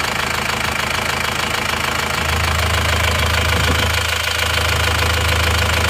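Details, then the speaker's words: Diesel engine with repaired holed block: regular light tapping about 200 a minute over steady idle; valve clearance still to be checked and adjusted, suspected valve-train tick, not confirmed. "ini mesinnya suaranya seperti ini ini masih perlu kita cek dulu ya klepnya besok kita Setel lagi"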